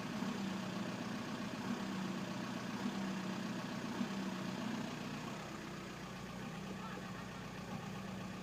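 Uneven, lumpy diesel idle with irregular knocks in the beat; a cylinder not firing evenly points to worn injectors.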